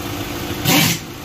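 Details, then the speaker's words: Volkswagen Ameo automatic gearbox after repair of a cut-cut noise at engine start and while driving: brief start-up surge settling to steady even idle, no clunk or grind; noise fixed, normal. "ना अभी इसका normal आवाज हो गया"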